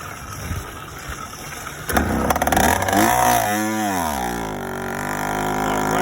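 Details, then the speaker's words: Yamaha YD100 two-stroke, first start after installing a Dio reed valve; raspy note rising and falling, deep and throaty, lower power than before; owner believes it needs a windowed piston. "got no control over it but she is way throat here you guys hear that sounds like she needs a windowed piston right"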